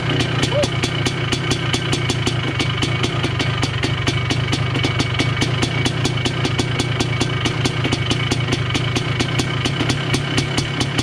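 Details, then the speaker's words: 1980 Honda CR250 Elsinore two-stroke, restored, first start in a decade, cold, carb not yet dialed in: crisp even popping at steady idle, regular firing, no misses or bogging; healthy two-stroke idling smoothly. "Stupid me, but I don't know, fired up and sounds good, honestly. Sounds nice and healthy. Sounds good."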